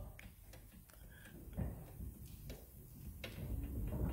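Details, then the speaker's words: Citroën C3 (2002-2010) on a lift, engine off, with sharp irregular metallic clunks as the wheel is levered; the customer reported a clunk, and play is found in a worn lower ball joint. "d'où l'intérêt du bruit justement qui était un petit peu particulier et qui nous avait permis de saisir"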